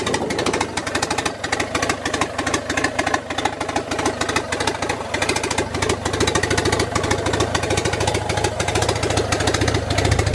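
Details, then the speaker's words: Honda Integra with B20V eBay turbo setup, started by jumping main-relay ground after wiring-harness fix; uneven choppy idle with irregular pulses because 1000 cc injectors run on a tune made for 550 cc injectors. "It's gonna be running a little weird right now because it is on 1000 cc injectors, and this tune right now is for 550 cc."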